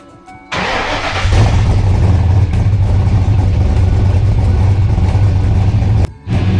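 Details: 1994 car, started just after a new alternator was fitted to check charging: cranks, catches and settles into a steady, even low idle with no knocks, misses or squeals; normal idle, charging fine.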